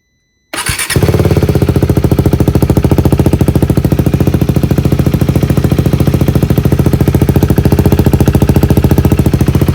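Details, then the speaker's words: 2023 KTM 390 Adventure single-cylinder, newly installed inexpensive aftermarket exhaust with decibel killer in: brief crank, then even steady thump at idle; nice sound, not too loud, not too quiet; healthy running. "Got a nice sound. It's not too loud, it's not too quiet."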